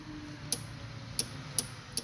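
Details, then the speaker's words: Ute with improvised wiring after gearbox work: a few sharp light clicks over a quiet hum as a makeshift kill switch cuts power so the battery doesn't go flat, in place of a proper relay. "hear that turn off pretty much this is the kill switch so some pretty dodgy [ __ ] but at least it'll stop the battery go home flat"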